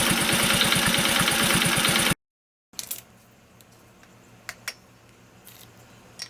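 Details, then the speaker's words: Honda Cub commuter single-cylinder, warm idle: steady fast ticking about three to four per second, quiet when first started cold, fades at higher rpm; suspected tappet clearance, tappet adjustment attempted. "エンジン始動してすぐは、まあ静かなんですが。少しして、エンジンが温まると、カチカチ、音がします。"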